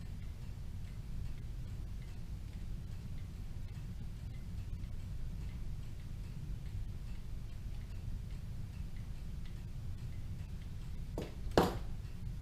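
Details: Rebuilt Kienzle Vienna Regulator clock movement, freshly wound and running on a test stand: steady, evenly spaced ticks with a regular beat and no stumbles, in beat and healthy.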